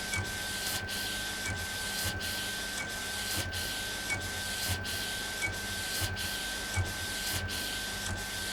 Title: Epson Stylus Pro 4880 текстильный - первый прогон после ремонта